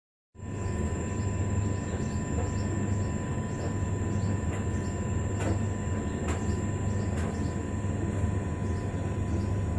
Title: Strange noise on the hotpoint TDL 30